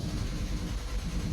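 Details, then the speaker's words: Chrysler 200 with no-start complaint: long extended crank with steady low drone and uneven rhythm as throttle is opened, battling before finally starting; often won't start. Cause not yet diagnosed. "it can kind of start sometimes but you hear that it actually started you see it was really battling really bad and it's running actually right now but a lot of times it won't um start and that was a long extended crank"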